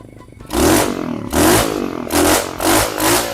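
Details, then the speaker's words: Abandoned roadside mini bike revived with a newly fitted carburetor: short throttle blips about once a second, each burbly and slow to clear; engine running rich (a little fat). "This thing runs good. Wow. Running a little fat."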